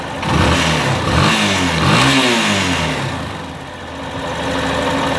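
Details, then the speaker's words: Yamaha Fazer 250 after the cam chain tensioner was repaired: engine revs up and down cleanly with no top-end tapping; the ticking noise is gone and the tensioner is now in perfect condition. "olha só a diferença aí o barulho dessa moda acabou aquele tektek o acionador agora está em perfeito estado"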